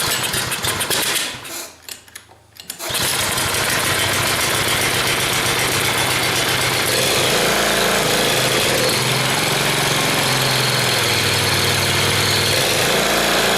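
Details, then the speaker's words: Log splitter small single-cylinder engine after carburetor cleaning, fouled gas still in tank topped with fresh: catches after brief stumble, settles into steady even buzzing run without misses. "well it runs anyway so I probably should have taken all of the bad gas out of the tank"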